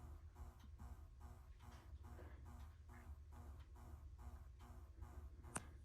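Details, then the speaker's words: Brand-new Schumacher SC1281 battery charger plugged into the wall, not connected to any battery: faint whine swelling and fading about twice a second, on and on; owner finds it abnormal, cause unknown. "it makes this woo woo woo woo woo forever without even being plugged into anything or hooked up to"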